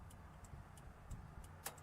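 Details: Newly wired replacement three-terminal flasher relay (L to source, negative to ground): crisp, even ticks about three a second over a faint low hum; the flasher relay is cycling normally.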